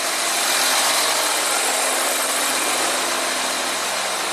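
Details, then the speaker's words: 2014 Audi Q7 3.0 TDI diesel, 181,000 miles, air suspension faulting: compressor activated via scan tool runs with a constant high-pitched hiss and buzz, raising the front end normally; long runs risk overheating it. "all right okay now you can hear the compressor run let's see what's happening outside it's definitely lifting up it's raising up the front end and if it takes too long the compressor will overheat"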